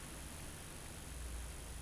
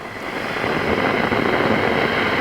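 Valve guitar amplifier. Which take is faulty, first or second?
second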